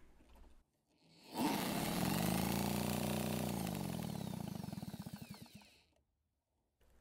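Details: Redmax EBZ8500 backpack blower, almost new, quit after about 30 minutes of use and won't restart: drill spins engine with steady whirr and even pulsing beat, no firing; possibly flooded, some fuel expelled from exhaust port; sheared flywheel key suspected.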